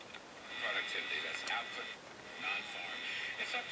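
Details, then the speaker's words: Tube radio whose static came from the output tube picking up noise from another tube as it heated, fixed with a shielded GT tube: the program plays clear and steady with no hum, buzz or crackle. "Now the radio sounds pretty good, but I still have to go through the rest of it."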